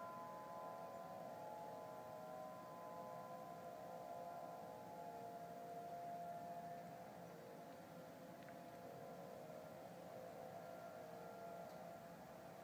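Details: Distant steady wailing tone of stacked pitches over quiet air, Denver CO, early November 2012; heard same time and weekday a month earlier, ending in a "powering off" sound; owner assumes man-made, possibly siren, source unidentified.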